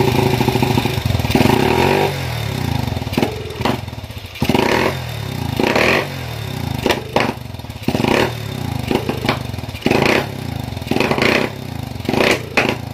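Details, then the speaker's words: Honda CB with PWK 30 mm carburetor runs evenly at low rpm but stutters and pops when throttled; suspected badly set jet, finding over-rich carburetor jetting causing misfire. "r baik di sini kendalanya adalah brebet ya jadi saat di RPM bawah itu biasa saja namun setelah kita gas itu ada indikasi seperti meledak atau brebet lah intinya seperti brebet seperti itu dah"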